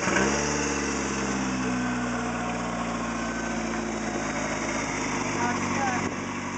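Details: Talon engine after a spun rod bearing, with replacement bearings installed and just fired up: steady even idle with a smooth hum and no knocking from the bottom end yet. Sounds healthy.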